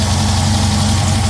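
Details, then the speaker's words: VW Type 1 2234cc flat-four with a 39 PICT-3 carburetor, large manifold and preliminary jetting, first start: steady, even low idle with no misses, knocks or hunting; very smooth but still untuned. "have to adjust everything here but it's very very smooth"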